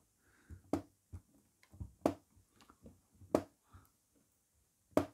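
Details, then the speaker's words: MacBook Pro A1708 after trimming some plastic off the antenna cover: far quieter but a few sharp isolated cracks still as lid moves, antenna plastic rubbing the case; more trimming needed. "It's so much better, guys, so much better, but you still hear the cracking sound."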